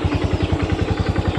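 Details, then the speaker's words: Honda Revo FI motorcycle lacking power: steady quick tick-tick about eight times a second over the engine beat; owner unsure whether from bearing or centrifugal clutch shoes. "Nah, itu ada suara tek tek tek tek tek suaranya itu kayak di bagian sini."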